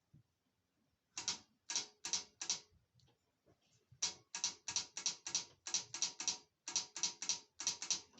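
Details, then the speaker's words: O9G transmission solenoid submerged in transmission oil heated on a stove to 200+ degrees and powered from a battery, measuring about 5.5–6.5 ohms. Crisp, sharp clicks two to three a second, each firing cleanly; it works normally even when hot. "so as you can see you can hear it that one is working fine even at 200 plus degrees"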